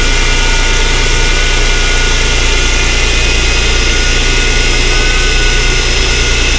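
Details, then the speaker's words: 2008 Mercedes CLK350 with 129k miles, bought as a seized engine, at its first start after unseizing. It was run with broken vacuum lines, a broken connector and no coolant. A steady, even idle hum with no ticking or knocking; it runs very smooth. The secondary air pump is blowing. "Actually, I'm surprised. It runs very smooth, to be honest. There is no any knock sounds."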